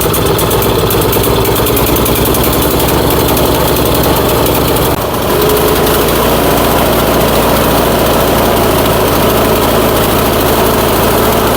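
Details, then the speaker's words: Troy-Bilt Storm 2410 snowblower, electric start, smoking: uneven, shaky chugging with loose vibration that worsens as it warms; owner suspects gasoline washed the rings, borescope shows scratches in the cylinder. "Well, the warmer this engine gets right now, it's definitely running worse than what it was."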